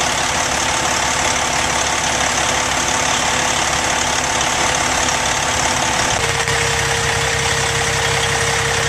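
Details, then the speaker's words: 2005 Freightliner Columbia tandem axle day cab, Detroit Series 60 455 hp diesel, Fuller 10-speed manual: settles into even idle with steady clatter and slight pitch drop after six seconds, no knocks; normal idle. "Let's start it up and see how it sounds. The power in this is a Detroit Series 60 455 horsepower diesel engine."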